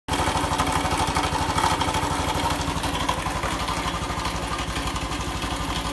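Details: Honda Cross Cub single-cylinder idle: loose, uneven chatter on every beat, about two a second; abnormal engine noise, cause unclear.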